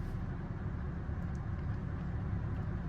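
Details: Chevy Cruze after timing chain work, fixed faulty purge valve and loose spark plug, restarted after sitting overnight: low steady idle with an even beat, no stumbles or misfire; brief low oil pressure warning on cold start.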